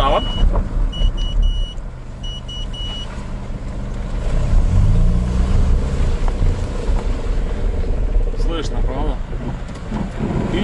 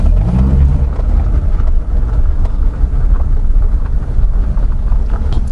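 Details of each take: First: Honda CR-V rear differential creaks and crackles with a low rumble as the wheel is held at full steering lock; oil change sometimes doesn't cure it, and a whine also appears when lifting off from 90 km/h. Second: Honda CR-V rear differential after flushing and refilling with new oil, steering at full left lock: a low, steady drivetrain rumble with no creak, squeal or whine. The differential noise is fixed and engagement is smooth.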